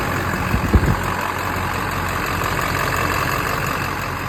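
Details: Stolen diesel truck (hood, batteries and lights taken) that had a crank-no-start caused by a missing ECM fuse, idling after the fix: a steady, even low rumble with no misses or knocks. Normal idle.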